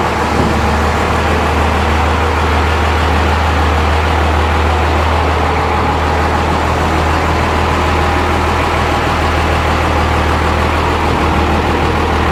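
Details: Diesel truck build on its maiden drive after the fuel system was bled: steady, even diesel clatter at idle with no stumbling or misses; engine runs clean and healthy.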